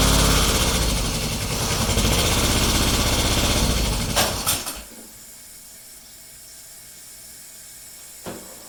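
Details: Restored Kubota G4200 garden tractor, first start attempt after final assembly, fuel system redone and bled: starter cranks at a steady, even beat for about four seconds but it never fires; cranks but won't start, cause unconfirmed.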